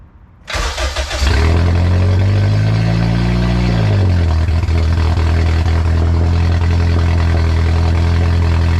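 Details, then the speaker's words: K20-swapped Honda EF sedan, first start after the swap, started from the key: it cranks and catches within a second, revs, then settles to a loud, steady, even idle with no misses. "the third time this thing turned on and stayed on so I just want to turn it on for you guys really quickly so you can hear it"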